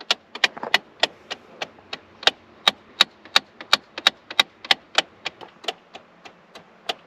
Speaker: So yeah, that's the noise. And that is literally the teeth inside of this gear.